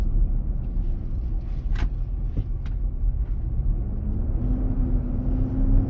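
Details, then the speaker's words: 2023 Nissan Armada, 4k+ miles, 95F inside: roar returns after stopping at a turn and accelerating. Deep steady roar, tone rising with speed. Intermittent, almost daily. Dealer confirmed the fan clutch engaging to cool the engine. "We'll stop at the turn signal and start. I can hear the sound coming back up. Pressing my accelerator and the sound keeps coming."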